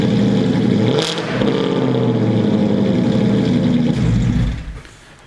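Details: BMW started at a shop: engine idles evenly, picks up cleanly on a quick rev and settles without rattles or misses; sounds really healthy, normal idle and rev.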